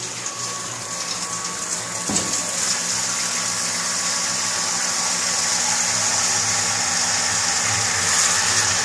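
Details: Pump on a nanobrewery test rig running water through the system: steady motor hum under rushing, gushing water that holds even throughout; pump running normally and moving liquid, though leaking at the pump.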